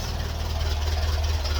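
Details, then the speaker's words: 1951 Ferguson tractor after thermostat housing replacement, linkage tightened, hand throttle at lowest idle (any lower starts to stall): deep, steady low thump, even beat, no misses or knocks; smooth healthy idle, no leaks. "And that's it, absolute idle. Very nice. It can go a little bit further, but it starts to stall."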